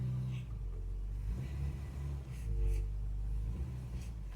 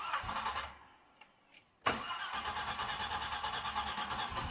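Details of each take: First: Car with rebuilt carburettor after ignition timing was set, driven through the gears: steady low drone with no knock or rattle under load and no stalling; the earlier knock is believed to have been pre-ignition or a tappet. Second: Old car with rebuilt carburettor: cranks, catches and revs high with rattly metallic pinking on start-up; ignition timing too far advanced, though earlier top-end knock was suspected and knock versus pre-ignition remains uncertain.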